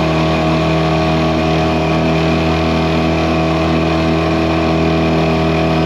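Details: 2001 Yamaha 5 hp two-stroke outboard, repaired after a no-reverse shifting fault following an impeller job, on test in gear pushing a 14 ft boat with two aboard at about 4–5 mph: steady even drone, no misses or knocks; normal running under load.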